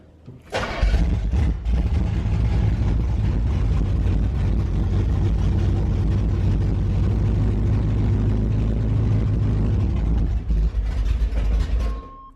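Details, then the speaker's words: Engine cranked and run about ten seconds, 60 psi oil pressure on gauge but rocker area looks dry: fast, dry, uneven top-end clatter over the rumble; owner suspects no oil reaching the valvetrain, possibly a spun cam bearing, not confirmed. "once I'm here watching them wonder why they're clattering so [ __ ] much"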